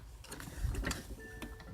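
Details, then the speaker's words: Old shuttle-type sewing machine turned by hand wheel: uneven ticking and clacking with a catching snag partway round; thread tangled in the shuttle. "See, the shuttle's all tangled up for me spinning the wheel."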